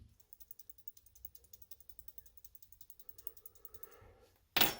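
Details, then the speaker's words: Clothes dryer thermal breaker shaken by hand: light, rapid rattling ticks; a rattling breaker has not popped (popped ones are silent), so it's intact. "when you shake them, I don't know if you can hear that. When you shake them, they sound like they're kind of rattling around."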